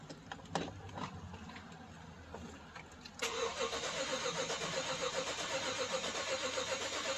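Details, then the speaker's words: 2012 BMW X5, other shops said it needs an engine: starter cranks about two and a half beats per second with uneven rhythm, never catches; crank no start, one or more cylinders suspected low on compression, oil pressure 50 psi cranking. "So I don't know if you guys heard that, but it sounds like if there's one or multiple cylinders that are out of compression."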